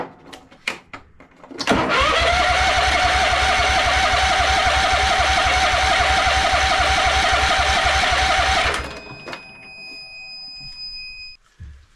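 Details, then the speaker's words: John Deere Scotts 20/48 lawn tractor: starter spins steadily about seven seconds on jump pack without firing; fuel starvation, no fuel reaching carburetor, fires only with spray into carb, fuel line dry, pump suspected. "Um where we left off the other day was just not getting fuel, but I mean, I think we're we're almost there with fuel."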